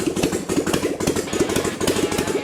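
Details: 1996 Harley-Davidson Dyna after fixing no oil pressure by removing the oil pressure gauge to bleed air: steady loping V-twin idle with an even beat, no knocks or rattles; oil now flowing.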